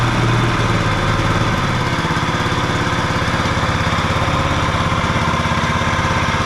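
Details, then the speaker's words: John Deere 14SB mower from a garage sale, fresh 10W-30 and new fuel line and filter, just started on choke on the second pull with no smoke: it runs steady but has a dry, rough whirring from the worn blade brake clutch bearing. "Um, I'm hearing a bearing noise. I I bet you the bearing I don't know if there's one or two bearings for that uh blade clutch, but those sound like they're not doing so good."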